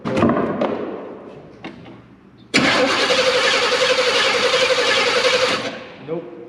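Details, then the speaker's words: Abandoned K5 Blazer being revived: the starter cranks steadily for about three seconds but the engine never fires; no spark was found, and the ignition coil was burnt up. "Was hoping that this coil was good, and if you guys look back there, she is burnt up. That coil is just trash."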